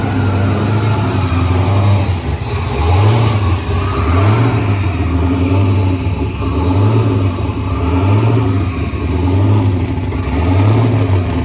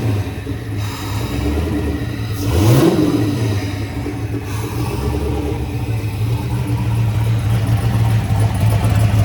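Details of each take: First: Turbocharged Chevrolet S10 start after idle screw was adjusted last time, throwing the idle air control off: idle surges up and down about every second and a quarter, hunting; erratic idle until screw readjusted. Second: Turbocharged Chevy S10 after fire-up; it started oddly, likely due to a misadjusted idle screw and IAC, but seemed all right after readjusting: one sharp rev climbing and falling, then a deep, steady, even idle with no knocks or misses; sounds awesome.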